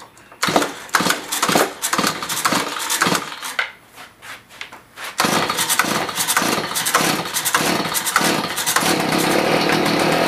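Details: Stihl HS45 hedge trimmer after carburetor work with new gasket and primer bulb, fresh non-ethanol fuel, choked and primed; a few pull-cord yanks then the two-stroke catches and holds a steady, buzzy high-pitched run: normal running.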